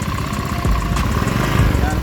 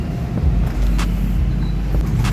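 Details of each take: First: Honda Beat 2015 scooter, engine torn down twice in a year with the block already replaced, idling very rough with a coarse, ragged chug and lacking power on throttle. Teardown traced the fault to the crankshaft oil passage. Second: Honda Beat 2015 scooter after an engine rebuild with all-new crankshaft, block and piston kit; the original fault traced to the crankshaft oil passage. It now runs smooth and even like new, with a steady low rumble and no ticking or knocking.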